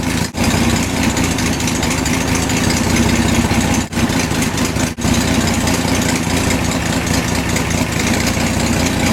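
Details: BMC Wolseley Farina 24/80 after distributor overhaul, idling while plug leads pulled one at a time: smooth steady idle with brief dips per lead, then recovers; all cylinders firing, about 150 degrees, oil pressure around 50.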